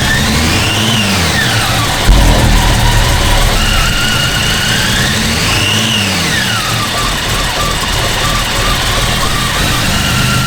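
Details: Toyota Land Cruiser 80 series after a secondhand alternator, new spark plugs, new injectors and timing adjustment: idle swings up and down every few seconds in a slow surge; idle hunting, airflow meter suspected, not confirmed.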